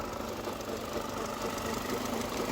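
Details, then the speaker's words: 19-year-old 2002 Mercedes A-Class at idle, before adding engine oil conditioner: rapid even tapping over steady idle; mechanic found play in crankshaft that shouldn't be there, pulley ruled out; suspected bottom-end engine knock. "there is play in the crankshaft though and there shouldn't be so"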